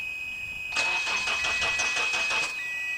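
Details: 2006 Toyota Corolla 1.8, cranks but will not start: under two seconds of even starter cranking at about three turns a second, engine never catches.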